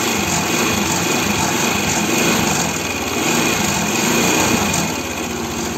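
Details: Arora Proxy R50 scooter after the throttle cable and idle adjustment: the high, buzzy single-cylinder note rises and falls smoothly as the throttle is blipped, with no stumbling; throttle response is normal.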